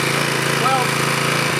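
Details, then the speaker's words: Small engine on a $30 pressure washer bought in 2002, before its looseness is fixed with two bolts: a steady buzz with a harsh chattering rattle as the loose unit shakes, sounding about to rattle apart. "i think it sounds like it's about to rattle apart into a million different pieces"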